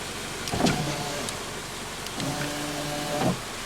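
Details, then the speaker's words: 2017 Subaru Outback driver's window with everything plugged in: a steady motor whir for about three seconds between two clunks as the window drives itself down, apparently because a power transistor in the master window switch is stuck on. The switch needs replacing. "It's basically the switch is stuck like you're pushing the button down without you pushing the button down."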